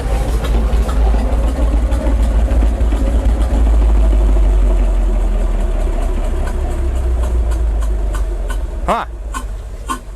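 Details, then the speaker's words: Onan 140 WE generator with 884 cubic inch V8, first test run, engine not yet warmed up: rough low idle with a rhythmic exhaust chuff about three a second, fading at shutdown; suspected valve not seating, something under the seat. "huh sounds like we got a uh valve that's not seating hear that chuffing out the exhaust sounds like we got a valve has something under the seat"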